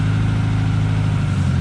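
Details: K-series engine-swapped MG Midget before its first short drive: steady, fast, even hum well above normal idle, no hunting or misfire. High idle seemingly from an inlet manifold gasket leak, resealed; better but not perfect.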